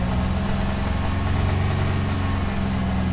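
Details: 1997 Toyota 4Runner after reassembly with one camshaft a tooth off: very low, uneven idle with irregular sputtering and puttering, running badly.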